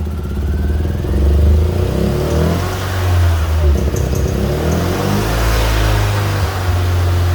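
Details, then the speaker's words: Fiat Punto GT that had stopped, restarted after adding fresh fuel, with old fuel suspected to have run out or gone bad: catches and settles into a steady, even idle with no misfire or stumble. "So we now have a running pretty sweet GT, so pretty pleased with that."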